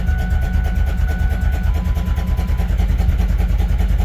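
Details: New V8 swapped into a Ford Ranger, first start after valve adjustment (zero lash plus one-sixth turn): lumpy, uneven idle with a loose rattle at two to three beats a second.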